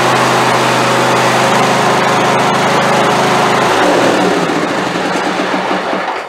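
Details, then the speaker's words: Craftsman YT4000 hydrostatic riding mower, valves not yet adjusted: steady drone then sudden sag, turns ragged, winds down and dies; rough running and stalling, owner expects carburetor problem. "Well, that doesn't sound nearly as healthy as it did the first time, does it? Let's try that again."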